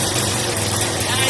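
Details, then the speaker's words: Yamaha SR125 single-cylinder, laid up for years, first start after storage: busy, fast lawnmower-like idle staying well above normal tick-over; revs too high for idle with choke left on. "Sounds like the lawnmower. Yeah. The rims are a little too high for idle."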